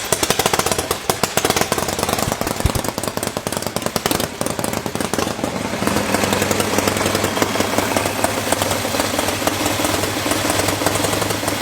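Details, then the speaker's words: Freshly rebuilt Harley-Davidson motor on machine-shop test stand with carburetor and manifold, adjusted and run earlier that morning: fast steady even chuffing beat, no knocks or misses; sounds healthy. "that sounds pretty good"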